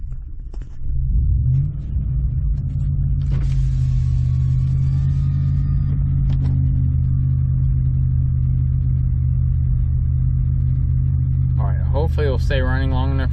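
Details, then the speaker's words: 2014 Ford F150 with ongoing misfire after dealer repair and new intake tube fitted: deep, uneven lumpy idle that wavers and dies down, needs gas to stay running, stalls on its own; rough idle misfire, owner suspects idle air control valve. "it still seems to be running a little rough um it's not don't seem to be idling right seems to have a little bit of a misfire at idle and obviously it's shut off on its own"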